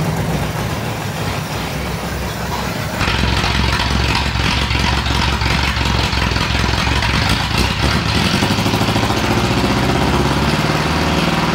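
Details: 1937 Ford flathead, 6-volt system, sat a year, running on battery alone: loud uneven loping idle with dropped beats every few seconds; missing a lot, owner suspects low voltage, notes blowby.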